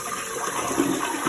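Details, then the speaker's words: Toilet tank after replacing float/fill valve and flapper with a Fluidmaster all-in-one repair kit (had slow leak, hard water): smooth rushing refill with no hiss or trickle, no running afterward; working normally. "doing it. I think it's working. Well, I don't hear it running."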